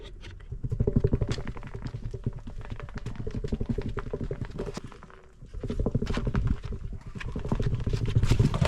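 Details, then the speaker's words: Buggy on road with old, very hard tires that still have tread: rapid uneven tak-tak knocking about three per second, swelling and fading with speed, loud even when turning gently and at high speed; hard worn tire road noise. "มันแข็งมากจริงๆดอกยางยังเหลืออยู่บ้างไม่น้อยเลย—แต่ลองฟังเสียงที่มันดังบนท้องถนนสิ"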